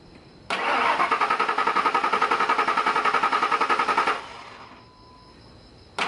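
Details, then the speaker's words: 2001 Ford Expedition 4.6L Triton V8 with a poorly reprogrammed Walmart spare chip key: even cranking, about 3.5 turns/s for roughly three seconds, with no firing, because the immobilizer does not recognize the key. "so as you can see there that's what this key that was supposed to be reprogrammed by Walmart and it obviously has not been"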